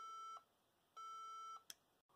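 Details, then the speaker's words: HP ProDesk 400 G3 Mini with non-T i5-6500 CPU on 90 W supply: clear repeating beep code, long tones then short chirps, same as before; owner concludes non-T processors aren't supported. "well I guess it just not going to work um well maybe that's why it specifically says that it will not um or does not support the nont processors"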